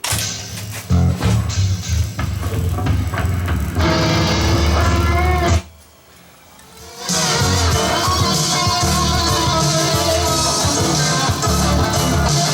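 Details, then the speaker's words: Sony TC854 4-channel reel-to-reel deck damaged in a fall, reel hub pushed in and bent. Music playback wavers in pitch, sagging and recovering with each reel turn, and tension is felt. Tape wow, owner suspects drag from the bent hub, which may need replacing. "you know I think this hub's going to have to be replaced because I think there's drag just from the thing being bent I think there's drag there um it sounds like a a lot of wow in there doesn't it"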